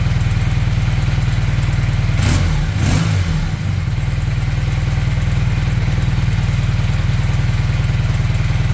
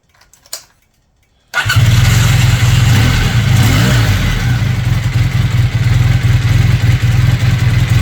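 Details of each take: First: Honda CB400T Dream twin after leaning the rich mixture, idle set near 1250 rpm, temporary fuel tank: even, steady beat with one brief thump, less lumpy; carbs well balanced. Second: Honda CB400T Dream twin after a service, first start: lumpy, uneven tickover with the right carb far off; unsynchronized carburettors.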